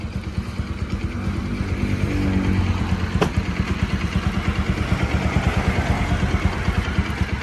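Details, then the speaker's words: Bajaj NS200 BS3 single, after repair for engine-noise complaint: timing chain tensioner replaced and tappets adjusted. Steady, even idle with a smooth regular beat, no ticking or chain rattle; healthy. "ഇത് നമ്മൾ ഒരു ചെറിയൊരു എമൗണ്ടിൽ നമ്മൾ engine work ചെയ്തത് തന്നെ നമുക്ക് clear ആക്കി എടുത്തിട്ടുണ്ട്"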